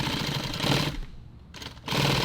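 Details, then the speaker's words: Sewing machine used the night before and not yet oiled, sewing coyote nylon tactical pouch: fast rattling chatter in stitching bursts, harsh and slightly crunchy. Machine running dry and needs lubrication. "But I haven't oiled it. It's a little dry right now. It's kind of crunchy. You can kind of hear it."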